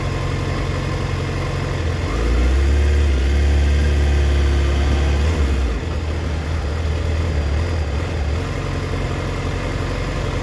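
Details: 2004 Yamaha FZ6 with an uneven idle, stumbling and dipping to 970 rpm against a warm spec of 1260–1320 rpm. Owner suspects a failing ignition coil, unconfirmed. Idle misfire.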